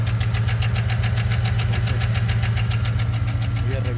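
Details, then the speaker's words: 2013 Chevy Suburban V8 idling with a sharp even tick about four a second plus a cylinder misfire persisting after owner replaced plug, coil and injector; broken lifter or camshaft suspected, low oil pressure blamed, compression check planned. "porque al parecer parece que es un ruido del lifter. Es posible que el lifter esté quebrado o el árbol de levas."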